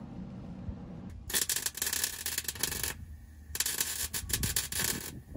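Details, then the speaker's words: Welder used on rock sliders for a 1999 Ford Ranger: harsh crackling in uneven bursts with sudden dropouts instead of a steady sizzle; welder sputtering, sounding like it's dying, cause unknown. "why is the machine doing that it sounds like it's dying"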